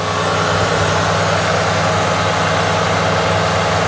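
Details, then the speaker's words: 1968 Ford Torino V8 after start-up, with the added electric fuel pump audible. A smooth, even low rumble with no misfires, ticks or knocks as it idles down to the correct speed after starting: a normal idle. "see it idles down it once it it starts up and then it idles down to where it needs to be just like it should be"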